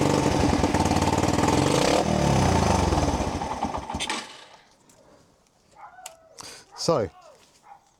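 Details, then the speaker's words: 30-year-old abandoned SR125 single-cylinder motorcycle revived, seized fuel tap: thumps pick up cleanly and rev freely before dropping back; engine sound, carburetor needs slight adjustment. "really cool. So she's revving actually really well. Little bit of adjust adjustment needed on the carburetor, but the engine is absolutely sound."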